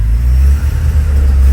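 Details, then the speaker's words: 1984 Porsche 944 idles fine but breaks up under throttle, stumbling with brief drops as if cylinders cut out, won't rev past 2,500–3,000 rpm; smoke test shows no leaks, fuel lines new. "Starts breaking up. Ease the gas real gently."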